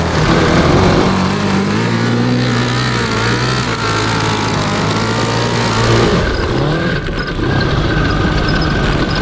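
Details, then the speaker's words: Cross kart with a Honda CB750 750cc engine after fresh 10W-40 oil and four new spark plugs. It revs up and down with an uneven stumbling beat at the low end; misfire at low rpm persists, cause unknown. "all right so it doesn't really want to run at low rpm but once you get it up there it's awesome sure we have some tweaking to do still"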